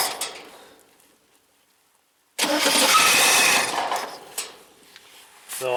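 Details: 1971 International Scout 800 with AMC 232 engine and BW35 transmission: the starter spins the engine in a busy whirring burst of about a second but it never fires; a cranking no-start, suspected lack of full power to the coil or ignition.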